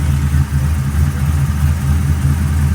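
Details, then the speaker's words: Orange 1970 Chevy Nova, carburetor tuning, after turning distributor clockwise with vacuum advance hooked up to reduce total timing, idle timing about same as before: steady even idle, smooth lope, no misses; sounds a lot better. "That sounds good. But with the vacuum advance hooked up, the engine will have about the same amount of ignition timing as it did before at idle."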